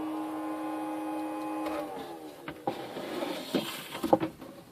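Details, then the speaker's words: New Netgear ProSafe 24-port gigabit switch: the small fan is turning and blowing but sounds bad, a mid-pitched whine sliding down and fading, then handling clicks; a possibly bad fan, cause not confirmed. Fan noise. "Yeah, it's turning. Don't sound very good though. Oh yeah, it's turning. It's blowing."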